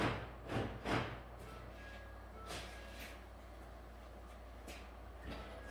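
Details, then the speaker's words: 2013 Ford F150 after used BCM install and reprogram, PATS key programming: a couple of quick muffled clunks as door locks cycle lock/unlock to confirm two new keys learned. "Okay, so there's the 2 keys learned. You hear the door locks, lock and unlock to acknowledge it. Two new keys are now programmed."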